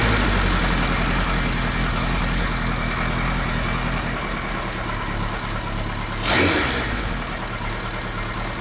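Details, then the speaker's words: Kawasaki Z1 inline-four idling after carb slide gaps were set and carbs vacuum synced: light, fairly even ticking about three or four a second over a steady idle; suspected slightly loose valve shim with a gap too big, not confirmed. "think we might have a bit of a Slappy shim but a gaps a gap that's slightly too big is better than no Gap at all so I'm not too worried about that"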